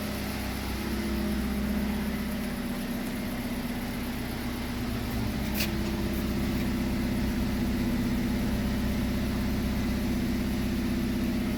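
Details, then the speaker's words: Kia Rio G4LC engine after rebuild, running after an earlier no-oil-pressure start and a loose exhaust manifold was tightened, no warning lights: steady, even, quiet idle with no knocks or ticks; normal idle. "look at that there no lights that this Tru so yeah we're good to go just listen to that just listen to that quiet"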